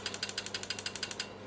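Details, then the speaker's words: 12V automotive 30 A relay on the bench, fed about 7 V from a power supply through a push switch to the coil. Crisp, even clicks about eight a second, then silence; the relay is pulling in and dropping out cleanly as it should. "So if I now hold this up and press the button, you'll hear a click. So that's that solenoid clicking in and out that we were talking about before."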